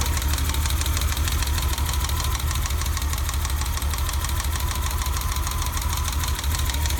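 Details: BMW E30 idling after cap and rotor replacement: loud idle with lumpy, uneven low pulse, roughly three beats a second stumbling out of step; one cylinder misfiring at idle.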